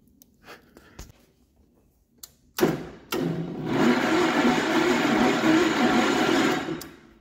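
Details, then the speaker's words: Gravely 814 tractor that sat outside for years, with the power wire switched: a few clicks, then a labored four-second crank that never catches. Battery drops from 12.3 V to 11.3 V while cranking; cause suspected, not confirmed. "well she cranks I know this battery is not dead or I'm pretty confident this battery's not dead but uh man it's that slow"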